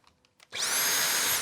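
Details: Dumpster-found Dyson V6/V7/V8 cordless stick vacuum, the original unit, fitted with a Milwaukee battery adapter: a clean high-pitched motor whine rises quickly and holds steady for about a second with no surging; runs normally.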